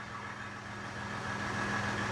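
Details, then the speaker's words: Tuned 2015 Ram EcoDiesel, crank-no-start with no codes now fixed (throttle body involved), fuel rail pressure reading about 4194: steady even diesel idle, constant low hum, no misses, knocks or hunting; running fine. "fuel rail pressure 4194 41 5,000 6,000 7,000 8,000 it's running fine now"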